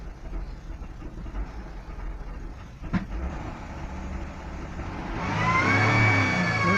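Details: Hyundai Tucson 2.7 V6 cold winter start in a freezing garage after cleaning idle air control valve and throttle body: idle surges, revs climb with a thin whistle, drops below 1000 rpm and stalls without pedal; cause unconfirmed.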